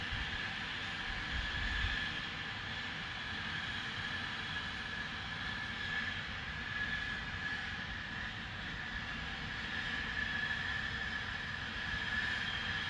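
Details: Distant continuous rushing hiss with faint thin tone, never easing; Spooner Industries, Ilkley, 6 April 2021, 8.45am, recorded within a neighbouring property boundary, audible over 100m away; cause unknown.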